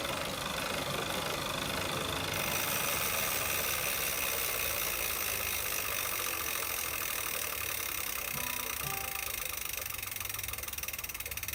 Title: Tacx Flux Grinding Noise 2